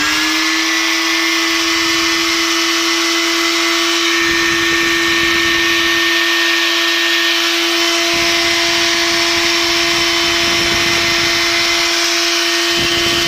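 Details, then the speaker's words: Old drill motor at constant speed with worn, dirty brushes and old bearings: steady high whine with a rough, scratchy rasp from brushes on the commutator; the brushes need a light sanding with abrasive paper and refitting to stop the noise. "jedyne co jest takie, że szczotki trzeba trochę przetrzeć papierem ściernym i włożyć z powrotem, żeby nie wydawały tego okropnego dźwięku, ale mi"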